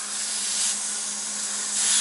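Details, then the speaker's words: Semi truck ("Big Blue") in shop during service, engine off: steady sharp hiss, slightly swelling; compressed air leaking around a worn fitting that seals when pushed down and needs replacing. "it's leaking around here I need a new fitting on here if I push down on it it seals the fitting is this worn out but"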